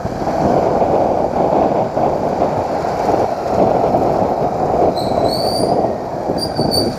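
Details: Motorcycle riding with tyres at 32 psi rear and 28 front: when the brake is applied the wheel makes a strange noise, a thin high-pitched squeal rising in short bursts over the riding noise; the owner plans to take the wheel apart.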